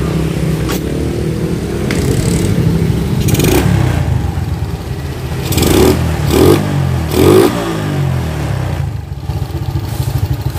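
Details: Suzuki Shogun 110 single-cylinder motorbike after carburetor cleaning and mixture setting: picks up cleanly on several quick throttle blips and settles to a steady idle without stumbling; healthy.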